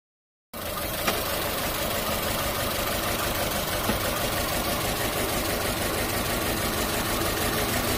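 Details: 2013 Holden Trax with code P0300 idling with a slightly uneven, lumpy beat; the fix shown is coil pack replacement. Finding: engine misfire at idle.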